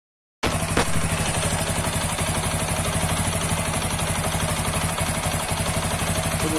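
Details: Apache 160 4V special edition motorcycle at idle: uneven knock about four times a second over the exhaust beat; deep engine knock, suspected connecting rod or crankshaft noise.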